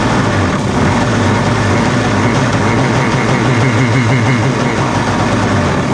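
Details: Cheap used Yamaha WaveRunner two-stroke on new mixed gas, after the fuel valve was switched from off to on: steady, even low burble with no stumbles or surging; idling cleanly and keeps running.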